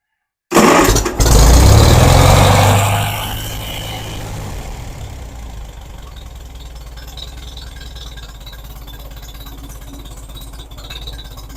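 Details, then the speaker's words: Farmall Super A tractor, freshly rewired, governor still needing work: cranks, catches and revs briefly, then settles to an even chug about four beats a second; starts and idles smoothly. "turns like a kitten sounds extremely good"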